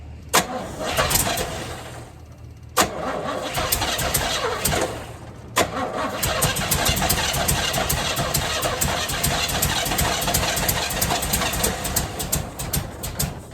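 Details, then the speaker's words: 1978 Chevrolet Camaro drag car, rebuilt 350 small-block V8 that seems to be cammed, first fire-up: cranks and catches, then surges and stumbles with uneven firing; only runs on throttle and won't idle despite adjustment, cause unknown. "They're all adjusted properly. They're all good. Why isn't it idling?"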